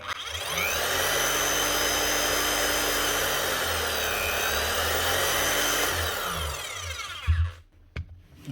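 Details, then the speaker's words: Bosch GSH 5 CE demolition hammer after warranty service and full rebuild with a new motor: motor spins up to a clean, steady whine, holds evenly, winds down smoothly with no grinding or rattle; healthy. "Nice one running like a new hammer."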